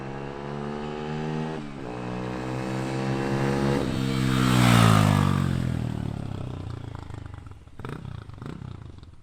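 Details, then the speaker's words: Honda XR150L after an intake opening mod and rejet from 105 to 115 main jet at 550 ft elevation: clean single-cylinder note revs smoothly and settles back, off-idle fine, no top-end rattle as before; running healthy. "Off idle seems fine. Sounds good. I didn't hear any of the rattle on the top end like you used to."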